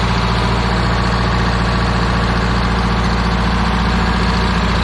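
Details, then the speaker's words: 1977 MCI bus with vintage low-mileage Detroit Diesel and Allison transmission, belt driving the top blower fans for engine cooling: deep, even idle with steady low rumble and fan whoosh, no knocks or misses; normal idle. "That's the famous belt. Running the blower fans up on top, keeping the engine cool."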